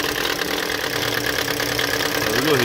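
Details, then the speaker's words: 2013 Toyota Corolla 1.8 16v flex with CNG and an automatic, idling with the AC switched on: a harsh, rattling vibration whir from the accessory belt, which stops when accelerating. Seized alternator overrunning pulley. "ligar o ar aqui ó já fez um barulho lá tipo uma vibração"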